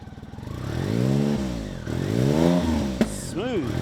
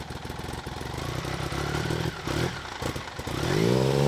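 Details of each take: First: BMW K75 RT after new fuel injectors, spark plugs and air filter fix: clean blips, revs climbing and falling smoothly with no stumble, misfire or clatter; engine running well and sounds healthy. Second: BMW K75 RT after new fuel injectors and spark plugs: smooth steady idle, then a throttle blip rises and falls without pulling hard, no pickup at full throttle; clogged air filter.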